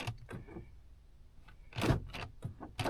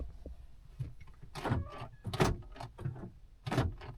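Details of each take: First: 2010 Honda Odyssey with one door lock actuator failing, recycling at every stop; the rear locks work and the owner suspects a mechanical jam. Weak clicks and buzzes with no solid lock thunk. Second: 2010 Honda Odyssey with a door lock that won't lock: the rear door lock actuators cycle with a few crisp, firm, quick thunks and are working properly.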